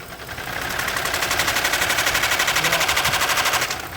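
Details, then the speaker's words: Lincoln Town Car electric cooling fan stopping and restarting: as it spins up, rapid regular ticking rattle about four per second over hissy whir; failing cooling fan, not the water pump. "oh wait a minute it's the fan it's the fan I just saw it I could see it stopping and starting the fans going bad the cooling fan"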